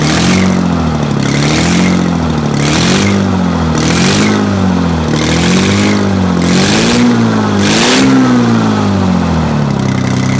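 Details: Detroit 6V92 two-stroke diesel, first start after overhaul: repeated smooth throttle blips, the pitch rising and falling evenly with each rev, no knocks or rattles. Normal revving, healthy engine.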